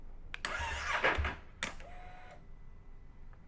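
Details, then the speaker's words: Ducati Streetfighter V4S (new battery) won't start after an up-map tune with the bike on for about 20 minutes: a short, sluggish cranking burst that never catches, then only an electrical whine; the dash shows low battery, so it's a flat battery needing the charger. "doesn't start wow okay so that's not cool let's um sounds like it's a flat battery so let's put the battery charger back on"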